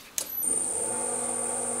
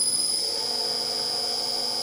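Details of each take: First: Huanyang VFD drill press motor, after raising carrier frequency from 4 to 8 kHz: smooth even hum with only a faint very high hiss, no harsh squeal; a lot better, normal running. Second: Motor on a Taiwanese drill press converted from a 4-speed belt drive to a Huanyang VFD, belt removed so only the motor is heard, at the default 4 kHz carrier: piercing constant high-pitched whistle over faint hum, carrier frequency whine.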